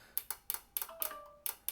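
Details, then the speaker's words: 2005 Dodge Ram 2500 trailer light relay, bench-tested with 12 volts across the coil pins from a small UPS battery: crisp, sharp clicks as the coil energizes and releases; normal relay actuation. "So if you put 12 volts across there, you should really actuate. Hear that? That's a good relay actuation."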